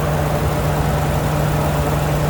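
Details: 2011 Ford F-350 6.2 V8 with history of random stalling at idle and codes P1336, P0365, P0369, after crank sensor and belt idler pulley bearing replacement: even low rumbling idle, no belt squeal or chirp; normal idle.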